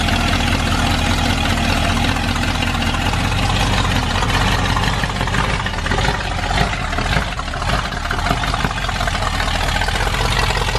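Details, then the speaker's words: Ford Bronco V8 with new FiTech EFI and new cylinder head, after distributor timing was set: steady, even idle with a low thrum and no knock or hunting; normal idle. "so let's see if we got this thing timed up right now thank you running good dude"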